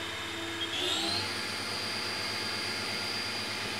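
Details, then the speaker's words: Haas VF1 7500 rpm spindle run at 6500 rpm with the covers off, not yet warmed up, after gearbox rework: smooth, steady high-pitched whine with no roughness, knocking or wavering; normal healthy spindle. "and yeah with the cover off that sounds really good"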